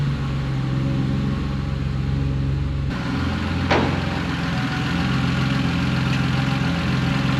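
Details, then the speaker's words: Warm Triumph Spitfire, just revived after many years and up to temperature: uneven, lumpy idle that wanders rather than settling. Rough idle, put down to carburettors still needing setting up. "m5 had it running for a little bit now all up to temperature all the gauges work still a bit rough but the carbs need setting up"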